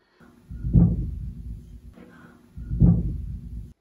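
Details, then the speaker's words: Toilet refilling after a flush: two sharp low thuds trailing into a deep rumble as the fill valve shuts, water hammer in the piping; a SharkBite water hammer arrestor is to be installed at the toilet supply. "Okay, every time I flush this toilet and the water fills the bowl back up, when the valve in the toilet bowl shuts off, it's causing water hammer in the piping."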